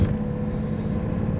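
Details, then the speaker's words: Porsche Carrera 3.2 flat-six driven on the road just after oil change (9.5 quarts) and valve adjustment, engine not yet warm: even note under light throttle, no sharp ticking; some chatter heard before adjustment. "I did hear a little bit of chatter out of them so it's probably time"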